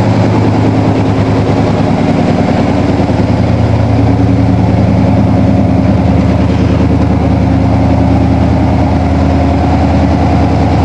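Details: 1987 Toyota Supra MKIII with 350 Chevrolet Vortec V8 and 700R4, restarted after fixing firing order, timing, distributor cap and valve lash, exhaust loose on manifolds; loud, deep, even V8 burble at steady idle, no misses or knocking; normal idle.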